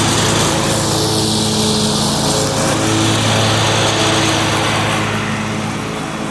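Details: John Deere 345 with Kawasaki FD611V V-twin at about 490 hours, after revival repairs and a fuel filter change. Steady drone holding even speed under mowing load with a faint belt whir; runs smooth and uses no oil.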